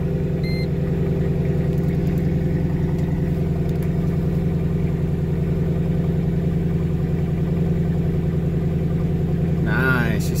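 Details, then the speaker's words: 2005 Mercedes SLK55 AMG idling after a fuel system refresh: new fuel pump, fuel level sending unit and fuel filter. Fuel took a while to refill the drained lines. The idle is smooth and even with a steady low throb and no misfire; the repair was a success. "sounds good so it did take a bit of time there for the field to get to obviously the fuel line the fuel filter whatever else that I drained seems good here we'll just let it run for a bit"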